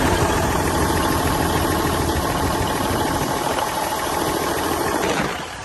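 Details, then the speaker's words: 1971 Peterbilt 352 diesel, started with new fuel line, fuel filter, starting fluid and a jump pack: runs with an uneven, lumpy beat, pulses dropping out irregularly, touchy throttle, turbo working; slight misfire, cause unknown. "Sounds pretty good. It's got a little bit of a mist. I don't know if you guys can hear me or not. It sounds like it's got a little bit of a mist, but at least I know that the engine's running, or it will run."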